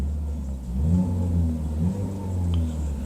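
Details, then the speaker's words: 2016 Ford Focus SE with Mazdaspeed 3 dual exhaust, owner troubleshooting rough idle in park: idle sounds good here, a steady even low rumble with a slight rev and no stumble or misfire; fault may not present right away. "oh yeah oh yeah sounds pretty good thank you sounds pretty good"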